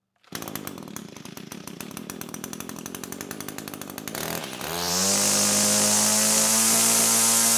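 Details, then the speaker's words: Known-good Echo trimmer started as a reference before a compression comparison: a few seconds of rapid even pulsing, then it catches and settles into a steady high-pitched buzz with no misses; running fine. "so to prove that I'm going to start my trimmer I know this machine runs well"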